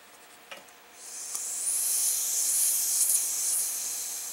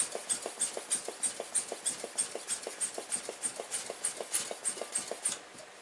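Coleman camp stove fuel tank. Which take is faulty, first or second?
first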